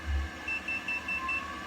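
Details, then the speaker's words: Creality UW-01 wash and cure station giving five quick high beeps, refusing a mode change until its current cycle finishes. "so as you see you gotta kind of you gotta let it wait to get back to the quick speed and then that bbb pretty much tells you hey there's an air you can't do it"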